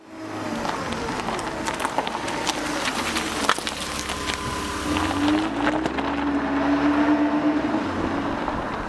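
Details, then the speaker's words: Old D-Jetronic fuel-injected Mercedes with intermittent no-start, after fixing the culprit; starts right up, smooth steady engine note rising and falling as it revs, no stumbling, runs beautifully every time. "And I hit the key in the starter, and this thing started right up. It runs beautifully now. It starts up and runs every time."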